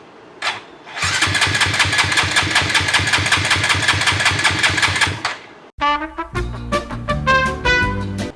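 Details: Engine with freshly installed Koso 170cc big bore kit, aRacer ECU, full exhaust, first start attempt after priming five times with a featherweight battery: starter spins steadily with quick even compression beats about four seconds; never catches, cranks no start.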